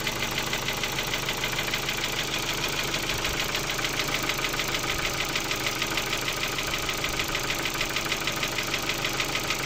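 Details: Ford Focus 2 1.6 (115 hp) at idle: a fast, fairly even ticking knock about three per second over a steady idle; knock in the engine, cause not pinned down.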